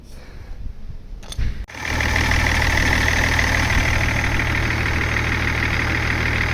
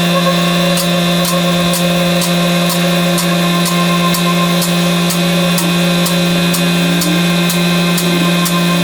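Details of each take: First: BMW E39 530d diesel fitted with a new belt pulley and belt: starter whirs briefly, then a steady, even diesel idle with no squeal or knock; normal idle after repair. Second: BMW with petrol M44 engine, exhaust back box hanging off: loud, steady idle with a coarse, chuffing drone and tractor-like clatter, sounding like a diesel; exhaust blow, new back box needed.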